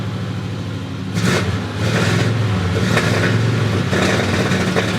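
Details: Dually truck with a TBI fuel-injection system: revs climb, then stumble and sputter in uneven bursts and still break up.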